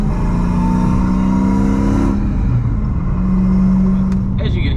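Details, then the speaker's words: Manual-swapped car with hesitation, awaiting a new tune: throaty drone with a loose popping exhaust burble as revs fall and pick up; owner suspects it is running rich, not confirmed. "you can hear, it's got a little bit of burble, but I think that's just because it's running rich."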